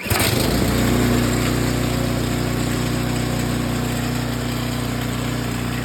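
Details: John Deere 827E snowblower with Briggs & Stratton engine, pull-started in the barn (electric start unused), choke in middle position, 5–6 primer pumps: catches in a pull or two, then a steady, even drone with no misses; healthy start.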